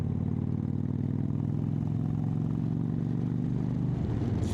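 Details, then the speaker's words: Motorcycle on a test ride after a failed exhaust gasket was replaced: steady, even engine beat with a deep, slightly louder exhaust note, no puffing or ticking; the exhaust leak is fixed. "And it's a bit louder."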